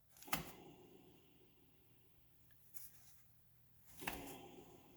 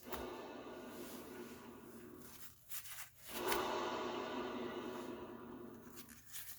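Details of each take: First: Honda Civic/Integra known-good rear hub, brake pads removed, disc spun by hand: almost silent, smooth, no grinding or rumble, just soft knocks from pushes; quieter and smoother than the noisy passenger-side hub. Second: Honda Civic/Integra passenger rear hub, spun by hand: a rough, gritty rubbing noise. A worn hub bearing is suspected and the hub assembly is to be replaced.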